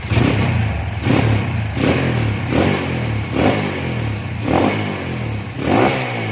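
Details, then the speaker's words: Honda CB/GL/MP/Tiger single-cylinder motorcycle after changing ignition timing to fix kick-starter kickback: six clean throttle blips about one a second, no popping or hesitation; normal revving. "Baik, kita coba hidupkan. Oke, untuk lamsannya oke ya. Untuk gas-gasannya kita lihat di sini."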